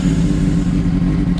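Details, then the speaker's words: 2006 Honda CBR600RR owned a year: the idle is uneven and lumpy and the rpm stumbles badly, only when the engine is hot. It runs fine when started cold for about the first 15 minutes of riding. Rough hot idle. "RPMs are stumbling like crazy at idle and this only happens when the engine is hot"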